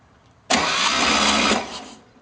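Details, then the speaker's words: Engine with only one exhaust pipe fitted, cranking with slight compression: a loud, harsh high-pitched screaming for about a second while cranking, no firing; the cause isn't clear. "it's just making that horrible screaming sound"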